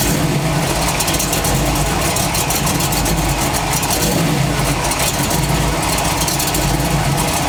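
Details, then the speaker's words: Engine running with the torque converter held back in position; a harsh, rough roar with a fast rattling edge comes only from the engine side, and the owner suspects a cracked flexplate. The converter did not move during the test. "ee any contact then i'll know that it's making that ugly sound this new ugly sound and it's only on the engine side and that would kind of lead me to believe that it's torque converter i mean uh flex plate my bad that would lead me to believe that it's flex plate"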